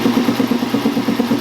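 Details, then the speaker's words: 1961 air compressor after pump rebuild with new valves, building to about 25 PSI: loud, even pulsing intake about eight beats a second with steady low hum; no leaks, check valve working, running normally. "Hell yeah, dude. Now this thing has only built up almost 25 PSI so far, but you guys will be able to hear the unloader valve cut out when I unplug this."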